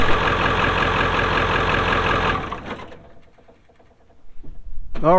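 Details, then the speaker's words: Ford 7.3 Powerstroke diesel on a cold morning (around 30s °F) after glow plug relay replacement. A quick crank catches at once and settles into a steady idle: a clean cold start, confirming the bad relay rather than the glow plugs. "that's up and running good so I'm glad that was the problem was that glow plug relay"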